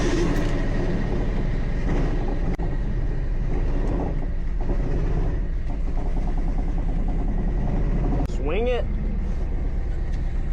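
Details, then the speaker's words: Pontiac Fiero Ferrari conversion with Chevy 350 V8 and Holley Sniper EFI: lumpy, uneven idle missing like crazy, snowblower-like stumble; several dead cylinders from broken pushrods and rocker arms. "He's [ __ ] missing like crazy. Sounds like a snowblower."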